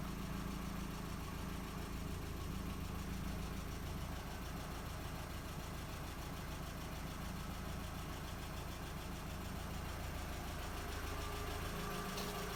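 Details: MK4 Jetta 1.8T idling after head gasket repair with replacement head, new timing belt, water pump and thermostat; quiet steady idle, even low hum, no knocks or rattles; smoke.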